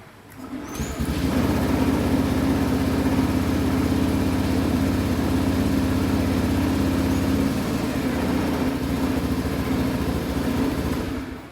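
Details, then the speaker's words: Honda Beat PGM-FI scooter after fault code 12 (injector connector) check and ECU reset: engine revs and holds a steady, even beat; previous hesitation when throttling is gone, running normally. "sudah berhasil tidak ada berebut lagi seperti yang kondisi sebelumnya itu yang mode 4 itu biasanya robot ketika kita gas itu semacam ada jedanya sekarang udah normal kembali"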